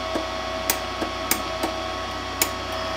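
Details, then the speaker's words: Welder being converted from flux core to MIG with a gas bottle; pulling the trigger gives light, crisp single clicks over a faint hum, the gas solenoid opening normally. "When you pull the trigger, can you hear the solenoid? When activated, it makes a little clicking sound like this."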